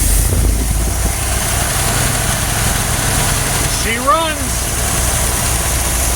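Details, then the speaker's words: Freshly rebuilt Stromberg WWC carburetor on a GMC C5500 heavy truck, manifold hole plugged, first start after sitting for years: a steady, even low idle with no misses, knocks or hunting; normal idle. "she absolutely runs all right let's see how that accelerator pump [Music] works"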